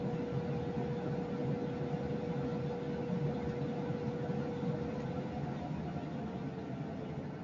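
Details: Lennox EL296V furnace with variable-speed blower, a few months old, microphone in basement then near an upstairs kitchen register: constant heavy rushing roar with low tone underneath; excessive airflow noise.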